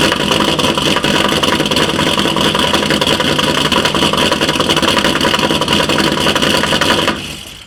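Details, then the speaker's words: 2012 Chevy Caprice PPV 6.0 LS, cold start, a month after DOD delete with new lifters, stage 2 cam and rockers: busy metallic valvetrain-type tick, seemingly driver's side, louder with rpm, no misfire codes; engine shut off, unconfirmed. "and it gets louder with RPM okay this was enough so now I'm gonna just go straight in and remove the valve cover uh on the driver's side which is uh sounds like that's where uh sound is coming from"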